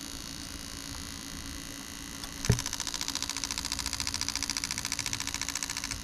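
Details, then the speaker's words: Bench test of newly built Lexus LS400 92-94 LHD engine harness: crisp, even ticking about three and a half clicks a second over a quiet hum; all eight injectors working fine, fuel pump works. "okay so all eight injectors working just fine we tested the fuel pump that works"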